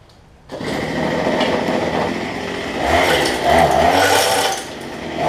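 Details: Cheap two-stroke weedeater after new trimmer line: fires up into a high, buzzy drone that stays steady, with a few quick throttle blips; normal running.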